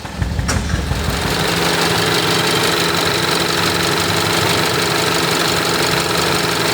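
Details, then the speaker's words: 2019 Hyundai Tucson at idle: uneven lope with a regular stumble breaking the firing rhythm, a constant dead miss felt to be secondary ignition, cylinder 4 suspected; ignition misfire. "This feels definitely to me like secondary ignition. It's a dead miss right now. I can hear it. Listen to it. Dead miss."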